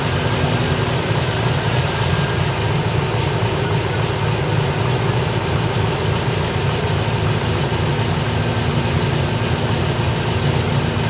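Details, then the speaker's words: 2008 Pontiac G8 (Holden Commodore) idling after a broken cooling fan blade was replaced: steady, even idle rumble with a smooth fan rush behind it, no rattle or scraping; the fans are barely audible and everything runs normally. "Alright, now I'm going to start up and see how it runs. Fans are on. Can't even hear them."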